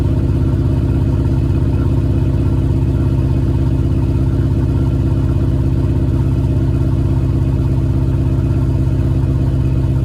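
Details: Cold start with JBA shorty headers, stock exhaust, exhaust leak fixed: steady even exhaust pulse at cold idle with no ticking or puffing between beats; exhaust sealed and healthy.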